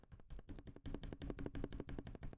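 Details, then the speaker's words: Akko ACR Pro 68 keyboard with stabilizers tuned: quick run of crisp, muted clacks with barely any rattle on the longer keys, only slight keycap-tolerance rattle; quiet stabilizers. "See, there's pretty much no rattle there. I mean, there is a little bit, but there is very minor rattle. I mean, that's just due to the tolerances of the keycap."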